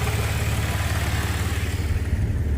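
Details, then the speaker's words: Audi A6 3.0T right after installing an upgraded high-pressure fuel pump piston: low, even engine thrum with a regular firing pulse and no knocks, misses or tapping; no leaks. Smooth, healthy idle. "Sounds good, man."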